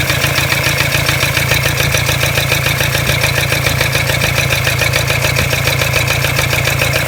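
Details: Toyota Hilux D-4D 1KD-FTV diesel at idle: loud, harsh, evenly repeating rattling knock, about two a second; disconnecting each injector left the noise, only cylinder one reduced it; owner suspects a cracked piston, unconfirmed.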